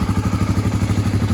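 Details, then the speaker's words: 1986 Honda ATC350X single-cylinder, not fully warmed, after raising the low idle: steady, even idle with regular beat, no misses, crisp throttle response; normal idle. "Throttle response is right on the money. It's great. That sounds a lot better. That sounds a lot more even."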